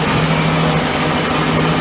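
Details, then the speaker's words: Volvo Penta 5.0 GXI-C marine V8 in a 2003 Chaparral Sunesta 242, idling after installing MarineTorq 3-inch stainless manifolds and risers: a steady, even low rumble with no knocks or misses. It is working great with a healthy growl. "look at that shine and listen to that growl this thing's working great"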